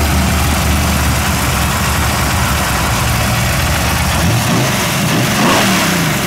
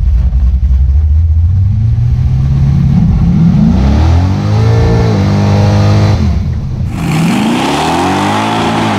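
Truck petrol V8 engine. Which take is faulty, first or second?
first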